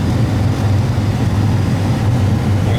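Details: Gas furnace blower motor after bypassing the faulty fan cycle relay that fed both speed wires at once: steady even low hum, no rattle or surging; normal blower operation.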